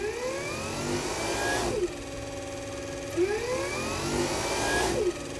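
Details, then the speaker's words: 1940 Plymouth Autolite B-circuit generator on the bench after replacing broken brush springs and bearings, motoring clockwise: steady whir, pitch sags when the field is grounded, slowing as a charging unit should. "so basically i'm gonna ground the field while it's motoring and it should slow down if it does it's gonna charge so i turn it on all right i'm going to take my wire and i'm going to ground it see how it slowed down"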